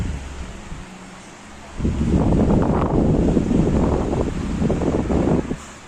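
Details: Electric fan after repair, cleaned inside and reassembled (third of five): comes up to speed with a strong steady rush of air, no ticking or grinding; runs clean and healthy on high.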